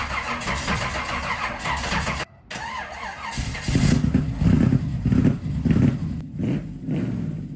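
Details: 1969 Chevrolet Camaro SS V8, not started in six years, with owner-rebuilt Edelbrock four-barrel carburetor before tuning: runs rough and uneven at idle, sagging and dropping out then recovering; stalling at idle.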